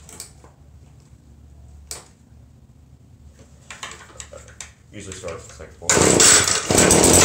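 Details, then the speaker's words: New Echo PB-2620 handheld leaf blower, run the day before, quick start: scrapes and handling, then the engine catches into a loud, even, high buzzy roar that holds steady; normal running. "it's the new echo pv 2620 handout blower and i love it so i'm just going to give it a quick start"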